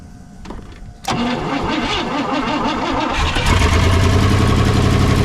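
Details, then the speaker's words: 1960 Pontiac Ventura, base 389 two-barrel with automatic, revived after sitting 24 years, started cold: a brief crank, then it catches at once and settles into a raised, steady fast idle; normal cold start. "even got high [Music] idle"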